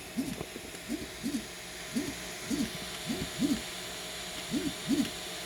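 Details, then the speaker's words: Tronxy Gemini S 3D printer, right-side extruder 2 stepper motor making short tonal chirps rising and falling in pitch as it moves, noticeably louder than the quiet extruder 1, annoying when printing at night; cause unknown: stepper motor whine. "I've been always having a little issue with this side being loud. The right side, extruder 2."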